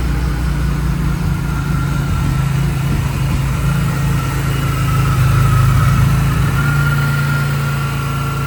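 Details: BMW E46 M3 S54 engine after Vanos rebuild, exhaust sprocket and oil pump disc: steady low idle with even note and slight swell midway, no knocking or ticking; normal idle.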